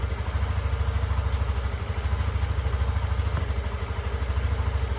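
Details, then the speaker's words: TVS Callisto scooter after fixing sputtering, stalling and no-throttle response with ticking noises, traced to a weak fuel pump: now a steady, even idle at about three firing pulses a second, no stumbling or dying; normal idle. "Ini sepeda saya sudah lancar ya. Tadinya itu berebet-berebet seperti video yang saya share di grup kemarin, grup TVS."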